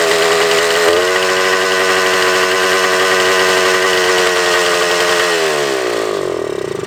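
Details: Suzuki TS400 Apache two-stroke, bolt fitted in the exhaust drain, baffle blown out: screams at high steady revs without dropping to idle, then winds down. Throttle cable found extended; they hope that was the cause.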